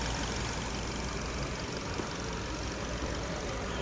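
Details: 2024 Toyota Corolla 3-cylinder, previously no-start with code U0100 and no coil current: low, smooth, even idle with no knocks, misses or odd tones; normal idle.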